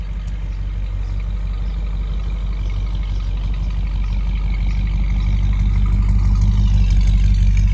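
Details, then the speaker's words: 1979 Dodge revived roadside after sitting, pulling away: steady, even low rumble with a smooth regular beat that builds a little; all cylinders firing, normal running. "just listen to that thing purr as it rides off into the sunset"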